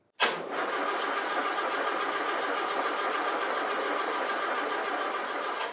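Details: Land Rover under restoration, start attempt after realigning the distributor and setting static ignition timing, oil reaching the tappets: steady, even cranking whirr for about five seconds that never fires; cranks but will not start.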